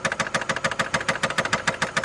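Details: 2012 Nissan Altima 2.5 L engine at idle: sharp, even metallic knocking about seven times a second; loose connecting rod bearing suspected, not confirmed.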